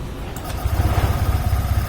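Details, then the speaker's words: Honda Vario scooter with a snoring growl under throttle (CVT checked fine, crankshaft suspected) after the crankshaft was tapped to the right: it catches and settles into an even, steady putter, a smooth idle with no growl or knock. "saat idel halus ya teman-teman Nah ini nah ini e ngoroknya sudah hilang teman-teman saat ditarik gas ya"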